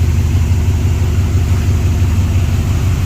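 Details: 1956 Ford Thunderbird V8 after carburetor repair; deep even burble at a low steady idle, no misses, knocks or hunting, running smoothly.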